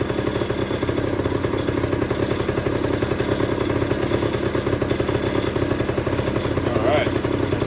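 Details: 1991 Honda Cub EZ90 long stored in a barn, carb cleaned and refitted, just revived: quick even buzz with no misfires, faint light rattle likely something loose underneath; engine runs well, oil injection working.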